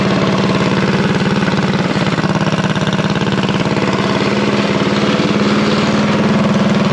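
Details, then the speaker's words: Revived unknown-history junk single-cylinder go-kart engine at a fast idle around 2200 rpm during break-in: a crisp, even putter firing steadily with no misses, rattles or knocks. It runs cleanly. "well don't sound too bad for a junk motor that i know nothing about"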